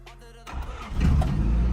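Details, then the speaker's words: Honda Civic DX with D-series engine, sat 8–9 years, started by screwdriver at the ignition: quiet cranking, then catches in half a second and settles into a steady low rumble, keeps running. "there it goes good old Honda how about that awesome awesome"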